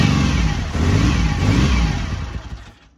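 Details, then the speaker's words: BSA Rocket Three Mark 2 five-speed (A75V) triple after carburettor service, cold start: slow to start from over-choking, then catches and revs cleanly with even firing, no misses or knocks once choke eased; normal cold running. "sounds good took a little to start it because I think it was over choking it so as soon as I backed off the choke a bit and give it a more bit more air it was fine"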